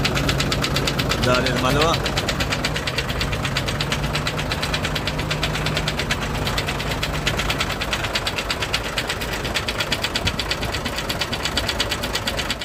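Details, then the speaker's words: Hino truck H07D diesel, sudden engine noise, oil coming from silencer: hard steady knock about three a second over rough idle; teardown found broken cylinder liners and a damaged piston. "तो मुझे अंदाज़ा हो गया कि इसका जो आवाज़ है वो पिस्टन की तरफ से, पिस्टन जो है इसका टूट चुका है या फिर लाइनर इसका टूट गया।"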